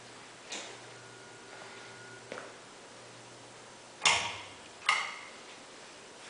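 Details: SMC A52 ceiling fan with blades fitted, filmed in a garage, runs only on low speed: low motor hum with sharp, uneven ticks about once a second as it turns; owner suspects at least one blade is out of whack, unconfirmed.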